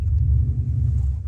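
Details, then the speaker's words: Dodge Dakota that had misfired after a puddle, now in reverse under load with tires spinning: deep steady rumble, no stumbles or popping; it revs and pulls cleanly with no misfire. "so I revved it up and it ripped on it and before it would have misfired like crazy right there it does not seem to be misfiring anymore"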